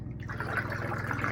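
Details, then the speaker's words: Replacement shower drain pump on the underside of a 13-foot Scamp trailer, fitted after a road rock damaged the old one, tested with about a gallon of water: steady low electric hum with water trickling through; running normally, no leaks. "And there it goes. I can hear it running."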